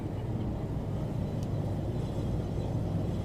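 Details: 2003 Chevrolet Silverado 2WD, front wheel jacked up and spun: smooth steady low whir with only faint brake pad rub, no rumble; hub bearing sounds normal.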